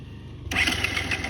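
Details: Benelli TNT 150cc motorcycle after engine overheated: a short, harsh starter whirr of about a second that dies without the engine catching; cranks but won't fire, overheating suspected, not confirmed.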